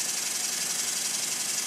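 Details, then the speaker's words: Newly completed Stuart Models S50 model steam engine, running on compressed air and still being run in: a fast, even exhaust hiss with no knocking or rattling. It runs sweetly, though valve timing and clearances may be improvable. "as you can see this runs very sweetly it needs running at this speed for a while so everything is beded in no knocking no rattling nothing's falling off it yet"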